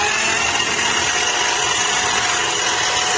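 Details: Drain, snake run the full 25 feet: steady high-pitched whirring drone from the auger motor and spinning cable as it bores into a stuck clog of women's hair; drain line clogged with hair.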